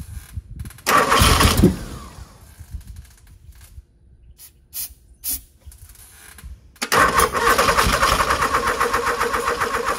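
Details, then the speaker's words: Genie GS-3268RT scissor lift engine cranked on ether: cranking, a couple of sharp pops backfiring through the carburetor, then churning without catching. Owner suspects ignition timing is off; not confirmed. "all right sounds like got the timing is off a little bit backfiring through the carburetor but I don't"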